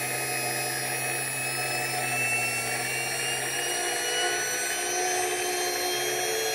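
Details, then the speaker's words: Porsche 924S EV conversion drive motor run up to about 6,000–8,000 rpm, the first time this high; clean, steady high-pitched whine with perhaps a very slight vibration, not the earlier noise. Normal high-speed whine. "okay well I mean yeah I heard uh this first time we've taken it up that high that I heard like maybe it's some very slight vibration but no that's not the noise that we heard"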